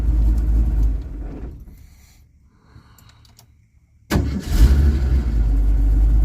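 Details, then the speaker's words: 1982 Ford Mustang GT (Fox body) with warm no-start issue, idled only partly warm in cool weather, shut off and restarted: quick crank, catches instantly into steady idle, like brand new. "oh my God like it's brand new"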